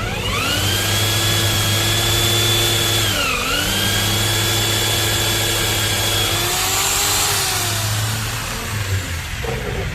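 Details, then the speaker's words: 13 mm impact drill in concrete (hammer) mode pressed against a workpiece sounds as smooth as in metal-drilling mode: steady whine under load, no rough hammering rattle or vibration, so hammer mode isn't working. "nah sama saja ya tidak ada perbedaan antara setelan mode power beton dan mode bor besi jadi suaranya sama-sama halus dan tidak bisa bergetar saat di mode beton"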